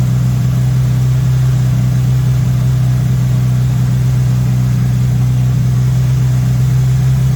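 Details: MK1 VW Rabbit with Weber 32/36 carburetor, no choke hooked up, idle suddenly high while the idle screw is adjusted; steady, even carbureted hum with no roughness; idle later brought from about 2000 to 1100–1200 rpm; owner suspects vacuum leak.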